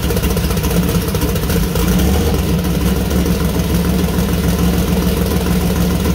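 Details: First start-up of freshly built 2000+hp LS (Dart LS Next block, 4in stroke, 4.140 bore, Brodix BR3 heads, .750 solid roller cam): deep even V8 burble, clean throttle blips, no knocks or misses; runs well, small oil leak at cam-driven fuel pump.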